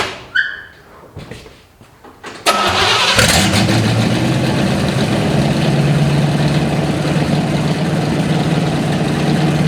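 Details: 1955 Chevy stored 20 years, runs after capping vacuum leaks and vacuum advance line: after a few clicks it cranks and holds a fast, loud, even idle well above normal; high idle, from a stuck choke.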